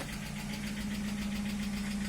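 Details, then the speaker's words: Hyundai Elantra HD, cold engine at idle, no catalytic converter: light, fast, even ticking over steady idle that stops once warm; hydraulic lifter tick from lash adjuster not yet pumped up with oil. "как cовременный скачок гидрокомпенсатора тик-так тик-так тик тик тик тик тик тик тик тик тик перестает"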